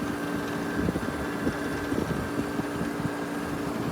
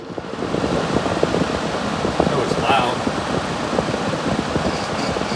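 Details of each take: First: Vintage Gibson 6,000 BTU Air Sweep room air conditioner, maybe from around 1980, running on low with a confirmed full refrigerant charge. Steady low hum under an even, soft fan whoosh with no rattles or knocks. Normal quiet operation. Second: Vintage 6,000 BTU Gibson Air Sweep room air conditioner, possibly from around 1980, at start-up: a loud, steady rushing hum from the fan, even throughout; the fan is noisy and the cause is not confirmed.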